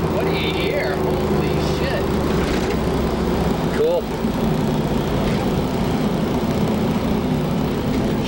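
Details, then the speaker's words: 1969 Camaro Z/28 V8 after restoration and engine rebuild (crank ground, balanced), heard from outside the car: deep, even rumble and clean tone through throttle blips, no knocks or misses; healthy. "awesome here huh it's got a really unique sound I like to hear outside the car"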